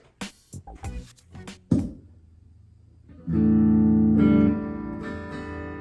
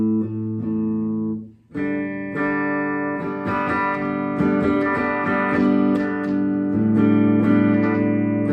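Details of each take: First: 2017 Gibson Les Paul Traditional through an amp: held chord drops in volume when the pickup selector switch is flipped, from dirty contacts; volume pot also crackles, before cleaning with DeoxIT. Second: 2017 Gibson Les Paul Traditional after DeoxIT cleaning of a pickup selector switch that had dropped out on the bridge pickup and scratchy volume pot: notes ring clean through the amp, no crackle, pops or dropouts as pickups change.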